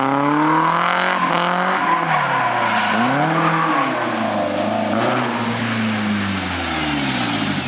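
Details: Nissan 240SX drifting, recurring problem at half a tank of fuel: engine note sags and dips sharply mid-slide under tire squeal, then recovers; cause unknown.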